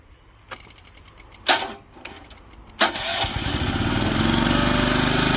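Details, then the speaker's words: Old Japanese-import Komatsu PC01 (PT01-1a) mini excavator with a Honda four-stroke petrol engine, 1,116 hours, weak battery that doesn't hold charge. A few starter bursts, then it catches around three seconds and settles into a steady run; normal, easy start. "เดี๋ยวลองสตาร์ทเครื่องดูดิสตาร์ทติดง่ายนะครับกับเครื่องอ่ะ"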